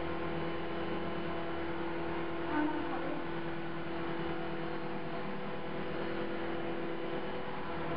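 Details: CopterX RC helicopter after a crash makes a quiet, steady mid-pitched buzz over a low hum, and its blades are not tracking; the owner suspects bent blades and hopes the blade holder or feathering shaft is not bent.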